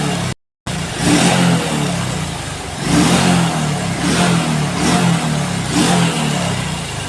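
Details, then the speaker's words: Honda Revo Absolute motorcycle engine first start after reassembling block and head and adjusting valves: small single-cylinder idles smoothly with gentle throttle swells, even quiet beat, no knocks; normal running. "suaranya adem dan enak teman-teman ya"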